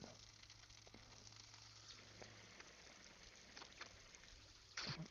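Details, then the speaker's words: Freeze Miser freeze-prevention valve on outdoor faucet, warming water closing it; soft, steady hissing trickle as the valve is nearly shut before closing completely, normal operation. "can still hear it hissing. And we'll stop the timer about there, because that's going to close all the way."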